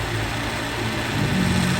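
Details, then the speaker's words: Toyota Revo diesel idling with AC on: rough, steady internal mechanical hum from the AC compressor, suspected dry of oil, e.g. after cleaning without adding oil. "Maingay nga. Oo. Loob na yan. Mechanical yan."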